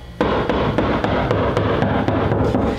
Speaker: you'll hear a hollow sound and then you'll hear a solid sound and that's when you know that is a stud located right there